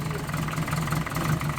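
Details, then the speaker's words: Compound twin-turbo project car after the split wastegate bellows was replaced with a welded-in braided flexi section and everything refitted, first start. Even, low, steady idle with no ticking, rattle or puffing; runs well, though a small exhaust blow remains at the side exit. "there you go. All back up and running like a champ."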